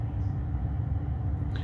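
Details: 2013 Ford F150 heater blower after reinstallation, on low speed settings: low, even hum with no drumming, rattle or wobble; quiet at low speed, though higher speeds still drum from blades shifted away from the motor base.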